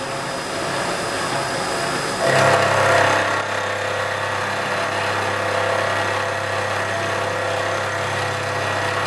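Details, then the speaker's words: Face milling a thick tool post plate with cheap inserts at 1600 RPM, 0.025 cut depth. Steady spindle hum and even cutting hiss, no chatter: the plate's thickness damps vibration, giving a normal smooth cut. "I'm checking vibration here seems fine this is thick enough that uh damps it out"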